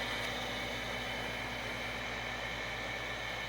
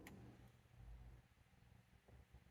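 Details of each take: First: Overhead gas shop heater after it was fixed with two skateboard bearings: the hot surface igniter lights the burner, with a smooth steady blower whir, an even burner rush and no rubbing or wobble. Normal running. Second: Shop heater blower motor clicks and hums but will not spin, seized after squealing badly earlier; it was fixed with two skateboard bearings.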